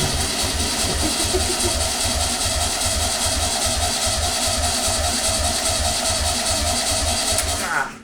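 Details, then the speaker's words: Long-dormant VW Beetle 1200 engine on a test stand, fed by two-stroke mix poured into the float bowl with no accelerator pump apparent: it chuffs at a loose, uneven beat, then dies as the bowl runs dry, stalling from fuel starvation. "oh we need to fill up the flow bowl a bit better than that"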